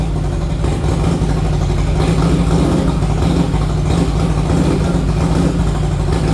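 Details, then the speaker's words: 1961 Harley-Davidson Panhead V-twin after a ride: deep uneven chugging that stumbles and never settles, heard as the engine heats up; owner first thought fuel starvation, but it was traced to an intake manifold air leak upsetting the mixture. "All right, I just took it down the road. Uh, it's chugging and bugging. Um, I mean, to me, it sounds like it's just not getting enough gas, but I don't know."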